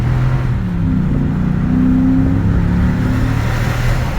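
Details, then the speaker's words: Ford F-250 Super Duty 6.2 V8 after repair of a valve problem causing multiple-cylinder misfire, revved under light throttle: deep even burble rising smoothly, no stumble or miss; normal revving. "no es nada, no le ando pisando casi nada. Miren nomás, se oyen como brama, mi raza, fierro, vámonos."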